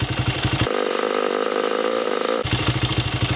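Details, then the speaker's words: 2006 Honda CRF80F single-cylinder four-stroke idling after a small chain tensioner adjustment: smooth, even exhaust pulses with no clatter; the suspected piston slap was actually chain noise. Normal idle. "guess that wasn't piston slap after [Music] all sounds beautiful beautiful love it"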